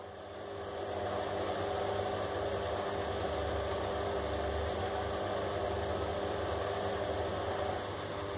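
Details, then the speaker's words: Drean washing machine that showed error 6, after the fault was found: relays click and the motor runs one way, then reverses; steady even hum, smooth drum turn, no grinding or knocking, running properly. "desactivó ahí activó el otro y ahí está girando en el otro sentido señores"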